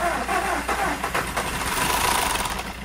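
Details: VW Golf 1.4 TSI petrol that suffered a snapped timing chain tensioner and bent valves, jump-started after sitting a month with a flat battery: the starter cranks unevenly, then it catches into a steady running note with no knock or chain rattle.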